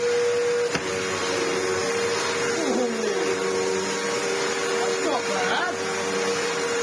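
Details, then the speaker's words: Samsung SU-2911 Jet Propel Light bagless upright vacuum after its restoration and a filter refit: steady mid-pitched motor hum with smooth airflow, brief pitch dips on carpet, no rattle. The earlier weird noise with the airflow fully blocked is gone; running normally. "that's very good and it isn't making that weird noise whenever I fully block off the airflow so I think we've done something good there"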